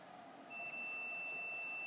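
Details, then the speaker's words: Samsung TV with normal sound but no picture: the multimeter in buzzer mode gives a steady high-pitched continuity beep across the outermost capacitor, indicating a likely short. "Oke, kapasitor terluar ini memicu bunyi bel. Itu berarti ada kemungkinan terjadi korsleting."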